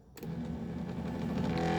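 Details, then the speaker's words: 1982 Mercedes 300SD passenger power seat: steady electric motor whir but the seat doesn't move when raising or lowering; drive cable detached from the motor, gears also need lubrication. "It's not moving though. That is because the cable has become attached from the motor."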